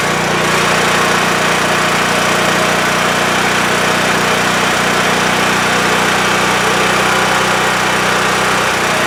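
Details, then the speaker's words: WEN TF1450X 14500W tri-fuel generator after repair, formerly dying after 20 seconds with loss of spark: steady, even drone at constant speed throughout, no surging or dropping off; running normally. "All right, victory. I was so nervous during those 20 seconds, fearing that it was going to do that same thing."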